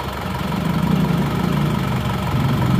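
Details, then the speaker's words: Diesel engine after second overhaul with new genuine seal kit, original rings reused: smooth even idle with low steady hum building slightly, no tapping; much smoother than before, rebuilt engine runs cleanly. "Nah setelah turun mesin yang kedua kali ini hasilnya Jauh lebih halus dan juga bebas biaya perbaikan"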